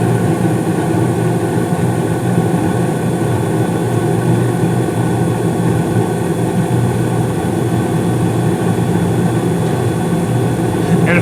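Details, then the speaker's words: 2016 Carrier gas furnace (first floor), five years old with no issues, starting up: steady even low rumble of burners and blower with no knocks, rattles or squeals as the blower kicks on; normal startup. "you probably didn't hear it but right there the uh blower just uh kicked on"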